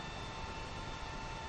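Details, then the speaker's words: Creality Ender 5 Plus 3D printer printing after swapping in a silent-version circuit board: only the power supply fan's steady soft hiss, no stepper motor whine or buzzing; normal quiet printing. "it's printing right now and you can't even hear the motors it's uh motors are all dead quiet only noise now pretty much is the fan on the meanwhile power supply it's pretty incredible"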